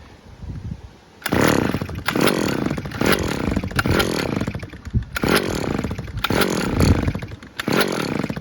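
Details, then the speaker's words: Stihl petrol trimmer restarted with choke open after checking a cable, oil seen near exhaust, needing extra pulls; surges every ~0.7 s, revving then sagging, running rough and short of full power. "So she still needs a bit of a pull. Yeah, so she's not 100%"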